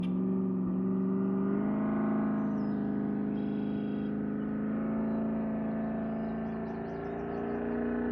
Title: Cammed 6.0 C10 Magnaflow Muffler X-Pipe ( Has misfire ) #automobile #chevrolet #nascar